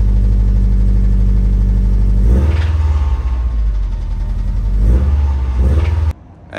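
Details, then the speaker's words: Subaru, possibly a 2011 STI, supposedly fully forged engine with intake, downpipe and blow-off valve mods, revving up and settling: dull heavy knock under the exhaust note; rod knock, teardown found number four bearing spun. "it's got pretty bad rod knock show the video right here well here it goes"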